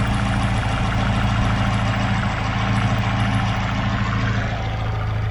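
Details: Chevrolet Aveo T250 with added LPG equipment, engine nearly warm, idling switched to gas: steady, even idle with a low uniform hum, no stumbling; on petrol it shakes and misfires, no fault codes.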